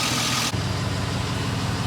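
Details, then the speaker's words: 2005 Chevy Tahoe V8 after misfire repair, before a road drive: smooth, even low idle with no stumble or skipped beats, no longer misfiring; owner still plans an oil pump pickup tube O-ring. "We'll take her down the road. Sounds like she's running pretty good."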